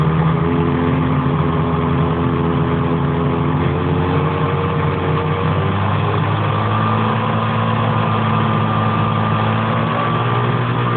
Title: 800 etec piston slap? Engine warm